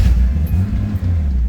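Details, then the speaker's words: Datsun 280ZX Turbo (L28ET) just started after blocking off the AAC valve and removing the EGR; deep, lumpy, uneven rumble, idle sagging and near stalling when off the gas; idle set too low, needs throttle stop adjustment. "yeah like we're going to have to make some adjustments I'm literally holding on the gas so I let off it yeah I was told I going to have to adjust it"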